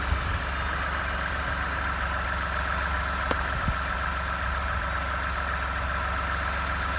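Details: 29K-mile 2018 Ford F-150, 2nd-gen 3.5 EcoBoost V6, at idle: a light, rapid rattle over the steady rumble. The owner cranks longer to prevent cam phaser startup rattle. Engine knocking at idle, source unclear.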